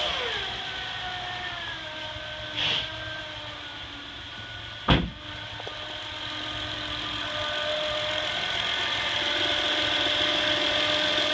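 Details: 2008 Honda Accord EX-L V6 at idle: a thin, steady high-pitched whine rides unchanging over the engine, caused by a bad alternator diode.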